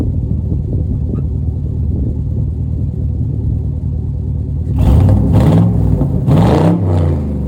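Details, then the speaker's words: Farm truck driven down the road on a new $80 budget exhaust with a small leak at the clamps: even low rumble deepening as throttle opens, no obvious leak ticking; sounds good, normal exhaust note. "Man, I'd say she sounds pretty good for a $80 exhaust system. I'm gonna try to close up that leak at some point, but man, does that sound good."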